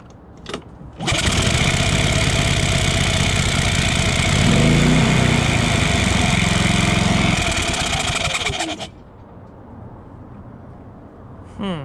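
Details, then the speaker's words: Predator 3500 generator running after valve lash adjustment: starts and runs about seven seconds with an uneven, stumbling beat and a surge partway through; rough running attributed to a leaking exhaust valve. "think we got a leaky valve so just running it like that for a little bit showed me a couple of things both are not very encouraging and it does sound like this exhaust valve is leaking"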